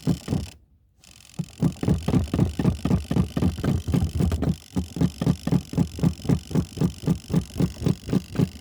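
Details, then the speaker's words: Portable spin dryer knocking: loud regular thumps about four per second as the drum spins; a top was not put down in straight, so the uneven load throws it off balance; fix is to stop and repack the clothes. "Okay, and if it doesn't smooth out, then you have to go back in. See, that's what happened. My top didn't get down in there straight. If you don't put it down in there straight, it will get off balance."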